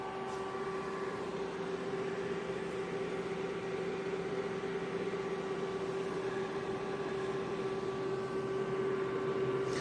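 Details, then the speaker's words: Bitmain Antminer S9 running at power-up, no internet connected: loud, steady high whir with constant pitch, no wobble or grinding. Fans running normally. "I've already seen, it sounds beefy."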